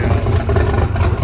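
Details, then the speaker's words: Blazer's Texas Speed blower engine right after reconnecting the missed spark plug wires, before warm-up: loud, lumpy but regular idle with deep throb, no knocking or misfires, 60 psi oil pressure at idle. Normal idle. "How is the valve last? Perfect. Alright, 60 psi at idle. Let's let it warm up for a little bit, see what it does."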